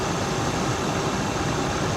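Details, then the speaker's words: Dodge Ram 1500 pickup with accident damage, engine started during inspection, oil not milky so head gasket not suspected: steady, even V8 idle with a smooth low rumble, no knocks, ticks or misses. The engine sounds healthy. "let's just kind of give her a start and see what happens. Because she sounds good. I mean, she really, really does."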